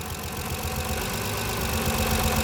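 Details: Kia Carnival 2.7 L gas (LPG) engine with suspected tappet noise, idling during a power-balance test with one ignition coil unplugged: dull, rapid knocking over a rough engine note grows louder, indicating piston slap in that cylinder.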